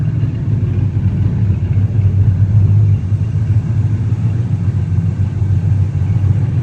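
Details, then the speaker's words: 1969 Chevy C10, cammed 283 V8 with Unilite ignition and Saginaw 4-speed, sat 20 years, on its first drive after timing and carburettor adjustment: a deep, steady, even rumble with no knocks or misses; plenty of power, smooth through all four gears. "Just drove the C10 and runs good. That was the first drive on it. Had plenty of power, smooth through all 4 gears."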